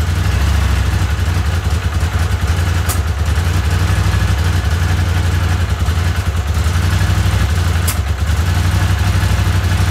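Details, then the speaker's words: Honda CX500 V-twin with replacement carburetors, idling low and lumpy with occasional sharp puffs from a vacuum leak at a poorly sealed carburetor-to-intake joint. "got a vacuum leak so I ate a little puff every time"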